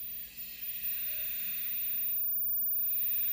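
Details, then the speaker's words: 1980 Philips black-and-white TV after repair, audio transistor replaced and noisy potentiometer cleaned, speaker not original, no transmission: only soft even hiss from the speaker, no hum or buzz; clean audio. "mas não tem mais ruído aqui Não precisei aterrar tá era aquele ruído que tava dando no áudio era alum ma contato no próprio no próprio potenciômetro"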